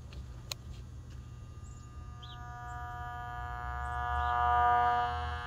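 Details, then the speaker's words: Late-1940s/early-1950s Ford (Zenith) 6-volt AM tube car radio with loctal tubes, powered up with a speaker and antenna while one tube is shorting; steady low buzzing hum with even overtones. Radio hum, probably from failed solder joints on the aluminum can. "buzzing is probably due to the failed solder joints on that aluminum can"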